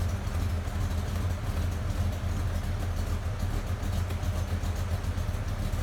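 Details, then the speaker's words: 1957 blown V8 with Carter AFB/Edelbrock 1400-series carbs, idling in neutral just after startup while rich jetting is being set, blowing condensation water from the pipes. Steady, slightly lumpy exhaust beat, no knocks or misses: normal idle. "is it blowing condensation out of the pipes again it'll blow water out here if i let it idle long enough it'll just start sounds good"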